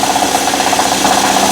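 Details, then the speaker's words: 2012 Nissan Murano on fast idle, extra microphone on steel near the wobbling AC compressor pulley: a steady mid-pitched whirring rattle pulsing about five times a second from a worn AC compressor hub bearing; compressor (also leaking) replaced. "now that bottom pulley is wobbling in and out let me try to focus in on Focus I think the AC compressor hub bearing"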